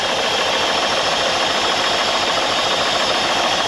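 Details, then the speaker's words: Holden Commodore abandoned in a farm paddock, first start on fuel poured in, idling while warming up: rough uneven idle stumbling about three times a second, missing badly, no devastating rattles; owner suspects fuel reaching only one cylinder. "I don't hear any devastating rattles or anything like that. Yeah, you can hear it missing really bad."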